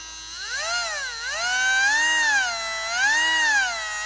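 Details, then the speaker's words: Marui Big Bear RC monster truck electric motor on a power supply, after oiling its bearing: a clean, smooth whine that rises and falls with speed, much improved. "need to get some oil on this bearing and you can hear what a difference that makes already"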